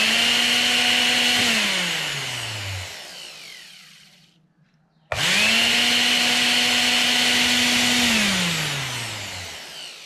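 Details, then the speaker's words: Mixer grinder motor run after replacing and oiling the bushes: two short runs, a high clean whine spins up fast, holds steady, winds down smoothly, no rattle, grinding or brush sparking; noise fixed, motor healthy. "अच्छी तरह से चलने के लिए शुरू कर दिया। इस में यहां तक कि जरा सा भी कोई चिंगारी नहीं निकली।"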